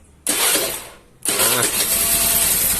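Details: Honda Vario carbureted scooter after reinstalling the original part in place of a faulty replacement: starter whirr, then the engine fires straight away and settles into a steady, even buzz with no misses; clean normal start.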